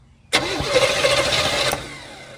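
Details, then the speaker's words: 1971 Chevelle Malibu small block, sat 20+ years, cranked with ether in the carb and the choke propped open: about 1.5 s of cranking with no firing at all. No spark; the corroded distributor cap is the suspected cause. "all right so no spark so I guess let's diagnose that now"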